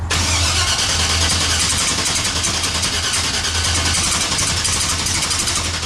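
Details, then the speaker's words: Chevrolet S10 engine that sat roughly 2–3 years, with fuel pump and throttle-body pressure regulator replaced, starting up: catches with a rough, hissy rumble and uneven pulsing, puffing a little smoke, not yet smooth. "It's alive! It's obvious. Oh, it's alive, you heard it. Now, it is puffing a little bit of smoke. It has been sitting for roughly 2, maybe 3 years."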